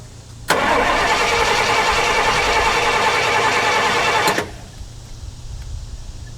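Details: 1968 Pontiac LeMans start attempt after sitting 23 years, fuel poured in, choke up: hard cranking about four seconds with sharp backfire pops, never catches; suspected flooded, later found not set at top dead center.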